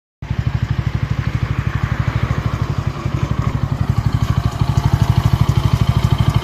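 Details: Bajaj Pulsar N160 single-cylinder idling rough and uneven at about three thumps a second with a coarse low rattle; it was buttery smooth until the first service at 500 km, rough ever since, cause unknown.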